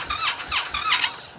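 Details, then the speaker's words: Brand new Indian FTR motorcycle in cold weather, below 50 degrees, which Indian says it needs to start: three quick cranking bursts that die away without firing after numerous attempts; failed start. "After numerous attempts to start my brand new motorcycle, which Indian informed me that the bike needs at least 50 degrees to start. That's it. Brand new motorcycle. Can't start."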